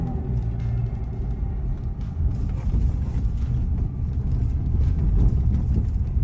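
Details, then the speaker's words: 2012 Ford Escape after replacing the front stabilizer links, road-tested over parking-lot bumps: low, even driving rumble, earlier popping or clunking gone. "so right over those bumps we had that popping sound um some people say rattle a clunk something like that um that noise is gone so problem fixed"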